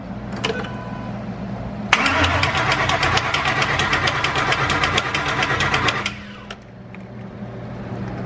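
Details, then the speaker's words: Freshly installed 5.2L Ford Coyote V8, first crank with new tune, no coolant yet: steady cranking for about four seconds with sharp regular ticking; dry timing chain tensioners clicking before oil pressure builds. "if you're wondering what the clicking noise was I didn't put it in there"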